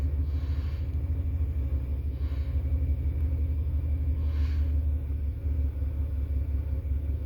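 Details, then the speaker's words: 1970 Chevy Impala 400 small-block, long abandoned, on temporary gas can via its fuel pump: low steady burble at idle, no misses or mechanical noise, no oil pressure light; normal idle. "Sounds like it's runs pretty good. No oil pressure light, so everything looks good there."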